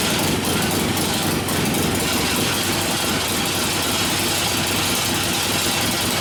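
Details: 1972 Harley-Davidson XL Ironhead Sportster bobber after an engine rebuild for wrecked pistons and a damaged pinion bushing, with the oil pump return working: loud, even V-twin at a steady fast idle, no knocks or misses. Normal running.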